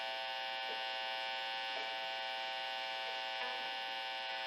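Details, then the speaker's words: Telecaster-style guitar through amp modeling, hands off metal: steady high buzz with even overtones that quiets when touching bridge; neck pickup ground disconnected and cover ungrounded after 4-way selector switch mod. "what happened was is that when I had my hands off any of the metal parts it was this buzz while I was touching anything metal has to do with the bridge it would quiet up"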